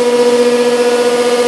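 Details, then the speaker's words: BoxMotor pulse motor at full speed, 158–160 V input, 1.9 A in, batteries 13 V: steady mid-pitched hum with even throb about seven per second, no scraping; running healthy. "it's fly that's great well she's running"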